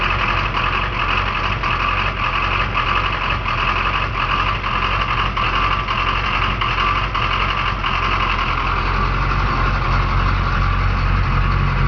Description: Another listen to the rough idle in my truck. Some are saying a new fuel pressure regulator?